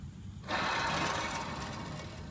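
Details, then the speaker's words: 2003 Chevrolet Suburban front wheel bearing, hub hand-spun with the rotor and caliper removed before replacement: rough, gritty growl slowly fading, a worn wheel bearing. "surely you can hear that bad bearing so haven't hit it or anything just undid the bolts that's all"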